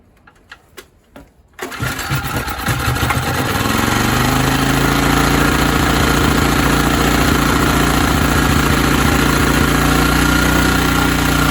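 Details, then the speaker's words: ETQ TG3000 3000 W portable generator, no-start, air filter off with spray primer into intake: cranks, catches and climbs to steady hum, runs briefly but won't keep running on its own. "Yeah, but it didn't keep running. It did come up to speed, did run for a little bit."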